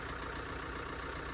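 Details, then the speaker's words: Fiat 500L diesel that sat unused for over 12 months, with the check engine light on and a DPF code stored: it starts on the button and holds a steady, even idle with a smooth low rumble and no knocks or rattles. The engine sounds healthy. "I'm saying the engine sounds good and healthy. Starts on the button. There's no rattles, no nothing, really."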